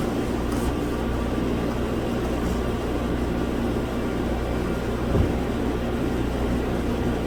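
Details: 2007 Mazda CX-9, believed 3.5 L V6, with low power and a misfire, codes P0351 and P0355. The ECM's control transistor for coil 5 has failed, coil 1's driver is stuck on, and coil 1 is suspected failed. Lumpy idle with an uneven low thump.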